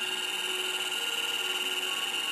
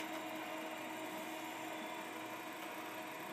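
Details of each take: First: MFM hard drive in a 386SX machine in an IBM XT case, during media analysis after formatting: a steady high whine with fast continuous chatter as the heads sweep back and forth nonstop without settling, a seek fault. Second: 386 motherboard in an IBM XT case, large hard drive after swapping the 130 W power supply for 200 W: steady even whir with faint whine and light seek ticks; the drive now spins up normally.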